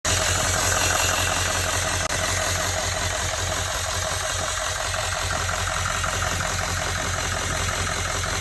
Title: Hissing noise near turbo